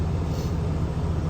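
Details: 2020 Ram 2500 Cummins diesel, started after oil and fuel filter change: deep, smooth idle with even rhythm, no tapping or rough patches; healthy.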